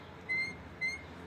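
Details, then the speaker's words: High-pitched squeaks from the front of the engine as the cooling fan turns, louder at higher fan speed: the fan is rubbing; fan removed and its high spots checked. "Ama tabii bu çok hızlı döndüğü için gelen cama sesi çok daha gürültülü oluyor ama sesimizin kaynağı bu bu hızlı döndüğünde bu sürtme sesi çok daha fazla çıkıyor"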